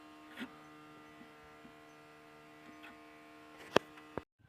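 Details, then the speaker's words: Electric pump hums steadily and constantly with a few handling clicks after master switch and ignition key on; it won't switch off with the key, only by cutting the master; owner suspects ignition switch fault, unconfirmed. "і тут прикол такий що чуєте насос постійно Гуде і получається цим ключом що ди що сюди Воно короче не виключається"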